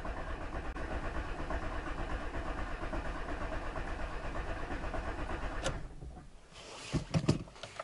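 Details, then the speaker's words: 15-year-old car just after an oil change with Genesis oil and a new filter, starter cranking about six seconds with ignition off via a button to fill the filter: even low pulses, no firing; normal oil priming. "У меня кнопка. Можно покрутить двигатель без зажигания. Наполним фильтр."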